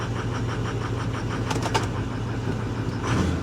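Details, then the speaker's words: Ford F350 Power Stroke diesel 4x4, check engine light not lit: idle with an uneven, stumbling beat and faint off-rhythm chug between firings, misfiring badly on at least one cylinder; does not clear up with throttle. "she's misfiring hear that yeah she's misfiring pretty bad"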